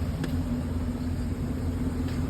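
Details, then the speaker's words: Chevy Silverado 1500 5.3 L V8 4x4 with flashing check-engine light: lumpy, uneven idle misfire; cylinder 4 has very low compression, knocking inside the engine, hydraulic lifter on cylinder 4 suspected. "okay this is how it looked like good shape but the problem is engine light flashing see that see the engine light flashing the yellow light the engine I look like misfire"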